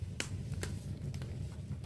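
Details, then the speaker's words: Jetmaster open fire with damp-down drafting, newly lit: sharp irregular crackles and pops about every half second over a low soft rumble, fire drawing and burning properly. "But as you can hear the crackling, that's what we're always aiming for, the crackling."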